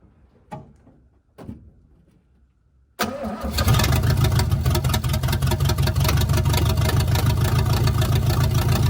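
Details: 1971 GMC truck V8, hot, restarted after installing block hugger headers: a couple of short cranks, then a loud, lumpy, uneven idle. The owner says the idle needs work and the headers sound better. Rough idle, cause suspected, not confirmed.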